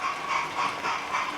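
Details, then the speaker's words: Model railway P2 locomotive running over modified track after fixing a kink: steady motor and gear whir with light, even ticking and no clunks at the rail joints (fish plates); runs smoothly. "and you can hear there's no clunking or clanking so the fish plates are nice"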